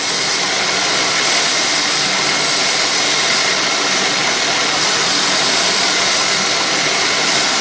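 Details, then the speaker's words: 2001 Buick LeSabre developing a misfire, after swapping the EGR valve: loud steady high-pitched hiss over a quiet idle, a vacuum leak; the EGR valve O-ring was found rolled, letting air past. "well I think I may have found my culprit I don't know if you can hear that hissing noise I I didn't notice that before but I sure hear it"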